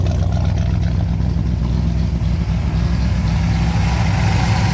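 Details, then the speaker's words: Car after vacuum leak repair, idling with no hiss remaining (brake booster believed bad): steady low even idle rumble, healthy; normal idle. "She probably idle better, I'll tell you that. I just love the way that sounds."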